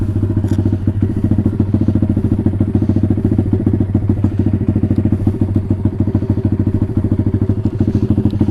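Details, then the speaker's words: Taotao DB17 125 single-cylinder after upgrade to a new carburetor, air filter just cleaned, warm with the choke fully off: even, steady thumping idle with no stumbling or hunting; idling cleanly. "okay that's good that sounds like a pretty good idle"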